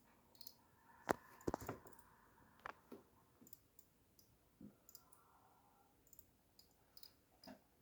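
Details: SeaSonic SS-620GB 620W power supply, fan swapped to Arctic P12, under heavy load running Half-Life 2 RTX: sharp uneven clicking two or three times a second; not the fan, no visible internal damage, cause unknown.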